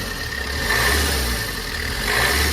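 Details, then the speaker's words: 2021 Maruti Swift Dzire, 118,000 km, before timing chain replacement: steady thin whirring above the engine, rising with revs, from a worn AC belt idler pulley bearing. Water entered because the side shield was missing. "ஆனா இந்த சைடுல வந்து பாத்தீங்கன்னா இன்ஜினோட noise இந்த timing belt sorry AC பெல்ட்டோட ஐலரோட bearing sound தான்"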